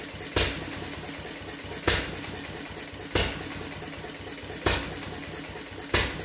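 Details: Fuller and Johnson hit-and-miss engine on first run after cleanup, battery and 6-volt coil box, started with a little choke: sharp bangs about every 1.5 seconds, irregularly spaced, coasting between; owner suspects too rich, plans checking mixer and RPM.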